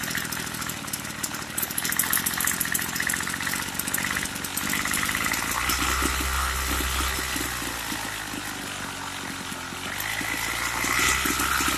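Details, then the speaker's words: Craftsman two-stroke weedeater that stopped running after about six months of use and storage; idle keeps cutting off, so the low screw is turned up about an eighth of a turn. Uneven hunting idle, revs surging and sagging. Suspected lean idle. "Sounds like it's not getting enough fuel. So I'm going to turn the low screw up."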